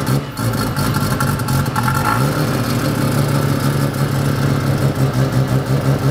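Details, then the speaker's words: Red Mazda FD RX-7, confirmed bridgeported, just started with strong oil pressure at about 8 throttle: choppy, lumpy, loud uneven brap idle with a slight rev rise; normal bridgeported rotary idle. "It is bridgeported. That sounds good."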